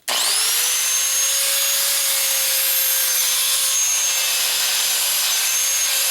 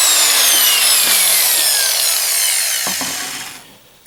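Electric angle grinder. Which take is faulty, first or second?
first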